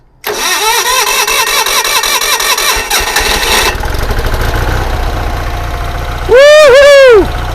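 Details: Onan generator in a GMC motorhome, with a jumper on the coil and the fuel pump primed: a few seconds of rhythmic cranking, then it catches and settles into a steady run; normal start.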